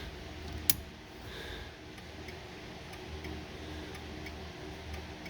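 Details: 1970s Lincoln after turn signal switch replacement: one sharp switch click, then faint even flasher ticking about twice a second; turn signals working normally.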